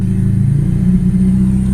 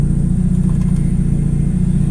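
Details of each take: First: Mitsubishi Eclipse idling with a manual boost-controller bleed added for cold-start idle, valve closed; low, even idle rumble holding steady with no hiss or hunting, back at normal stock idle speed (opening it raised idle about 100 RPM). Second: Mitsubishi Eclipse at idle with a boost controller used as a manual idle air bleed, opened on a cold winter day: a thin steady high whistle of air being sucked in over the idle rumble raises idle about 50 to 100 rpm; covering the port drops it back, a vacuum leak.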